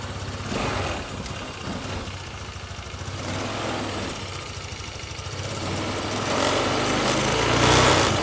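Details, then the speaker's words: Honda Vario scooter that came in with a very rough, noisy engine, after valve clearance adjustment; steady, even idle with a gentle rev rise and no tapping or rattle from the top end, now smooth and quiet. "nah oke Guys jadi untuk suara mesin itu udah adem udah halus ya"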